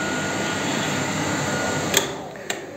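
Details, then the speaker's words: Car heater blower (VAZ-2106 heater resistor) on homemade gas-cylinder stove at strong second speed: loud steady airy rush with faint hum, then two clicks and it quietens; owner finds it unbearably noisy. "ну и соответственно второе положение это сильный О сразу задуло слышно да это вообще на мозги действует капец"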